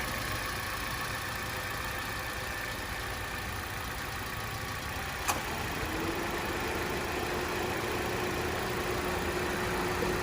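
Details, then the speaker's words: Car at warm idle, then AC switched on: a click and an added even hum from the AC fan motor making the engine bay louder; normal idle with AC on. "Jadi pada saat AC dinyalakan itu ada tambahan motor fan yang dari AC jadi suaranya lebih kenceng lagi dan itu normal"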